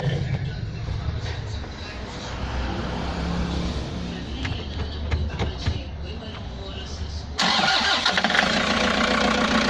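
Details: Toyota Hiace diesel with a no-crank fault, started by shorting the starter relay terminals; battery, starter and relay were all good, and the fault was traced to broken wiring: low churning crank for several seconds, then catches into a louder steady run; normal crank and start.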